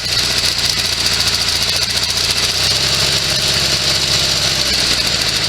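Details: Sears SS16 garden tractor with an Onan twin, sitting several years, fed from a temporary gas tank. A small twin idles with a quick, steady beat and slight unevenness between firings. It runs well for its storage, just a touch rough, and the owner is sure the carburetor needs cleaning.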